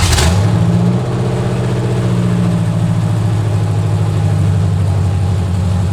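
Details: 1970 Corvette with freshly rebuilt small-block V8 (AFR heads, Clay Smith cam, hydraulic roller lifters, Harland Sharp 1.5 rockers, new headers), just after first start in six months: steady even low rumble settling into smooth idle, no knocks or misses; normal idle.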